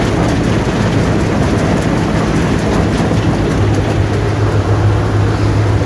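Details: Allis-Chalmers Gleaner EA combine separation unit run for final checks before the threshing unit is refitted: loud steady even churning roar from drum and shakers, no knocks or squeals; not much noise, running normally.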